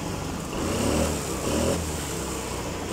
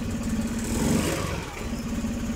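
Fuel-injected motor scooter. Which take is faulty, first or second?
second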